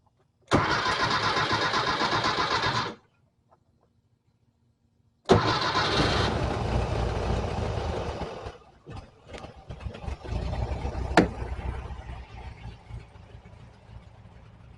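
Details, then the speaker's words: 1968 VW Type 3 fuel injection, cold start after 12-hour soak, thermostat disconnected, after installing a replacement computer: a short crank that doesn't catch, pause, then second crank fires and settles into steady idle; two cranks, considered fixed. "I know it wasn't immediate. No, it wasn't the goodest. 2 cranks. But it's never done that before. So I'm going to call this thing fixed."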